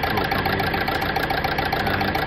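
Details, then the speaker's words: Renault Scenic 3 1.5 dCi 110bhp Euro 5 diesel at idle, lumpy uneven beat under a steady tick; unplugging number four injector makes no difference, showing a dead injector on cylinder 4; replacement on order. "so if I unpl this one it do make no difference and it's not making any difference as you can see this has already been ped"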